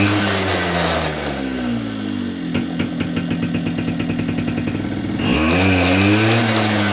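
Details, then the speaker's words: 2004 Polaris Predator 50 two-stroke mini quad after a new carburetor and corrected float height; burbles at idle, then snaps cleanly up in revs when the throttle is floored, with no hesitation, bogging or flooding; normal idle and throttle response. "notice how it was responding to throttle you know even from dead idle when you floor it it would pick up momentum you know pick up rpm without hesitation without sounding flooded or anything"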